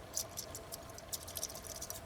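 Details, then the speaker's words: Carburetor brass float from an 8hp 24-inch Mastercraft (MTD) snowblower shaken by hand: faint, quick liquid slosh inside; fuel has leaked in, so the float is sunk and needs repair or replacement. "you hear that there's fuel in that float that float is sunk so it needs a new float or they can be repaired"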